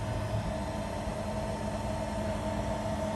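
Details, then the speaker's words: Element3D BOX 3D printer lead screw after lubrication with silicone grease (five dots), auto-home pressed: steady even motor hum as the axis moves, squeak gone, quiet lead screw movement. "после того как мы смазали ведущий венка нажимаем кнопку автопарковка и наблюдаем как тревожишь и на звук чудесным образом пропал"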